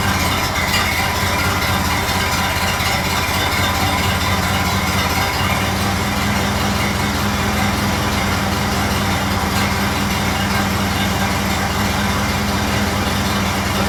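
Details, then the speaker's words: Model A Ford after exhaust manifold gasket replacement and a new battery, charging about 2 amps, idle being adjusted down: slow, steady low idle with even beat, no puffing or ticking at the manifold; healthy. "Get that line down just a little bit. Sounding pretty good at the moment, but I'm going to be quick."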